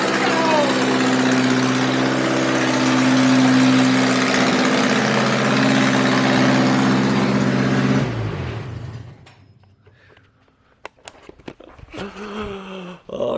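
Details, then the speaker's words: 1.6L Mazda Miata engine after deleting the idle air control valve with a block-off plate to cure a vacuum leak: a smooth, even idle slightly fast with a steady tone, then a clean shutoff; the best it has ever run. "yo i i have to admit that is the absolute best that it has ever run man that is invigorating"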